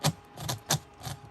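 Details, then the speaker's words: HB Racing D2 Evo rear diff eccentric bushing holder: two dots up meshes smooth, two dots down gives sharp irregular clicks about twice a second, notchy rough gear mesh; a molding issue with the eccentric holder, separate from the diff binding problem. "so that tells me that these eccentric bushings especially on the two dot one two dot up or down this eccentric holder is a molding issue when you run it for the dots up meshing is great when you run into the dots down great and Vines"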